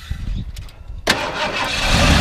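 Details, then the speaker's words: 1990 Ford F250 XLT Lariat, 53K original miles: quick crank catches at once, settles into steady even rumble, revved a little; starts really nice, clean healthy start. "you starts really nice go and wrap it up a little bit sounds good"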